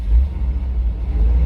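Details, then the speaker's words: Chevy Astro 4.3L van with rain/moisture no-start (ignition module, coil, distributor; P1351), after dielectric grease, raining two days: started right up, deep even rumble without stumbles or misses; normal idle. "Surprisingly, when it started, it shocked me that it went boom, boom, right up."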